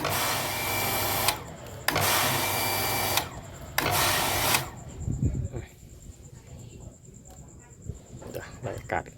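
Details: Hitachi home water pump that cycled on and off, after replacing the plastic air tube and reusing rubber seals: motor hums about a second, cuts out and restarts repeatedly before stopping. Short cycling from trapped air, before bleeding at the check valve.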